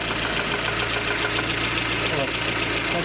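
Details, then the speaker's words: Lada Kalina petrol engine idling in neutral: loose, uneven top-end rattle caused by large camshaft axial end play. "Большое осевое смещение распредвала. Тарахтит."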